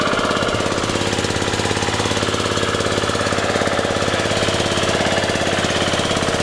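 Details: Scrapped riding mower, forward/reverse drive, runs and mows; quick even single-cylinder chugging about three beats a second, no knocking noticed; normal running.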